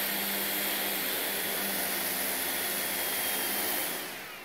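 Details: Xiaomi Midrone 4K drone, started indoors once the GPS had locked satellites: steady high-pitched whirr from all motors spinning evenly, no rattle, tick or catch, then winding down smoothly. Normal motor run.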